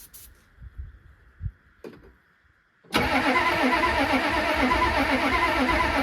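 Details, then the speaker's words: Ford F-350 diesel sitting 19 years, cranked after a little fuel is poured down the intake; starter churns at about four even beats a second but it never fires. Crank, no start; owner suspects no fuel and plans a lift pump and fresh diesel. "That's enough for me. I know it'll start, but it's looking like we're getting no fuel. So I'm gonna go pick up a lift pump and some fresh diesel, put all that on, see if it starts."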